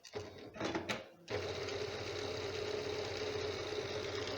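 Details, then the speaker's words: Janome sewing machine after tightening a loose bed adjuster and oiling, running after reassembly: after a couple of knocks, a light even whirr with steady hum, replacing the earlier heavy noise; running smooth and healthy. "जी, बिल्कुल हल्की फुल्की आवाज़ इसकी अपनी जो machine की होती है, हर लिहाज से बिल्कुल फिट हो गई है।"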